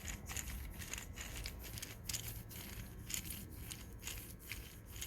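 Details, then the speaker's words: Old wheel bearing removed from the knuckle and spun by hand: rough gritty grinding with scratchy catches, the same noise heard on the car; races grooved, likely from excess heat, bearing worn out and being replaced. "so that's the noise that you guys were hearing when we were turning it when it was still attached to the knuckle and everything on the car"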